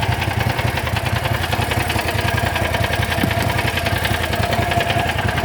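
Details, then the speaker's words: John Deere GT225 lawn tractor: steady uneven cranking about ninety turns a minute that never catches or speeds up; cranks but won't start, cause unknown. "This thing don't start, I really don't care anymore. Never been this bad."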